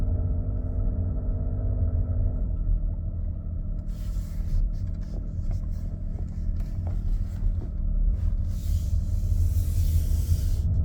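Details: Nissan X-Trail e-Power: heavy deep rumble swelling as the engine cuts in, louder and rougher than it should be; cause not pinned down.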